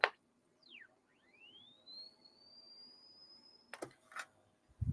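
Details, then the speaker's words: Macintosh LC with a recapped, previously dead power supply, measuring 5V and 11.9V while the computer keeps rebooting: thin electronic whine from the speaker sweeps up and settles into a steady high tone. Hard drive not spinning. "the speaker is making a lot of noise again I don't know whether you can hear that but it's whining"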